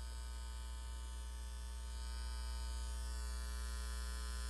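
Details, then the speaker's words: Marantz receiver phono input with turntable connected, steady low mains hum with a buzzy edge growing louder as volume rises; no noise with turntable disconnected or on aux, owner suspects cables or turntable. "I already determined that the receiver when it the turntable is not connected to it there's no noise so I've at least eliminated some of the possibilities I'm going to turn it on now here it gets louder as the volume is turned up"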